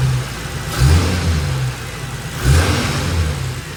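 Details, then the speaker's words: Holden VY Calais L67 supercharged V6 drift car, freshly installed replacement engine (double-row timing chain, lower km, balance shaft disconnected, upgraded mounts), first run without coolant or supercharger belt: deep steady rumble with two short throttle blips settling straight back; oil pressure 70, healthy. "She fires right up. Oil pressure. 70. Got good oil pressure. Actually sounds pretty good."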